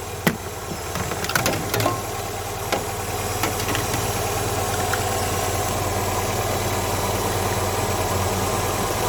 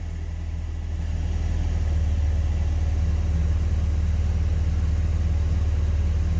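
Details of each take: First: Classic carburettor and distributor car, warm with choke off, vacuum advance plugged. The idle rises from about 950 rpm to about 1000 rpm, a fast, even, busy hum with no misses. Ignition timing is about 10° BTDC, too far advanced; mixture may also be off. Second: Classic carburettor and distributor car (Project Ruby) at warm idle after ignition timing set: steady, even low rumble with no misses, knocks or hunting; engine idling smoothly with timing correctly set.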